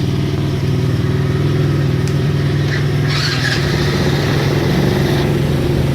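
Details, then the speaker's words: Baja 90cc Wilderness bike engine after a motor swap: small single buzzing at a steady, fast idle with no dip or settle. Idle speed set too high; the idle adjustment screw is being backed off. "I guess it's still a little high. I'm gonna have to tune it down, tune it a little bit. Just a tad bit. Still revving a little high."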